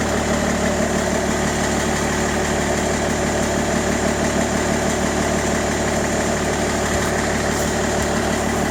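Diesel idles with a steady rhythmic knock about twice a second over the clatter; the source isn't pinned down.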